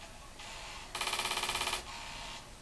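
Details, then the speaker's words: Commodore 1541 floppy drive for C64 after cleaning and resocketing a controller chip (previously wouldn't spin up): soft whir then rapid even head-step chatter before settling; reads directory and boots game, possible minor issues remain. "go yeah at least the driver is doing something I think there might be some issues there but yeah it reads the directory and it seems to boot up the game here"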